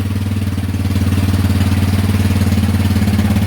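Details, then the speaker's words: Yamaha Warrior ATV single, first start in about 10 years after carb rebuild, fresh gas, new petcock: quick, even idle thumping with no misses, possibly some oil burning off the exhaust; normal idle. "all those years all we needed was a little bit of deoxys and she fired right up we're gonna let it warm up we'll check oil and then it even sounds really good everything sounds great"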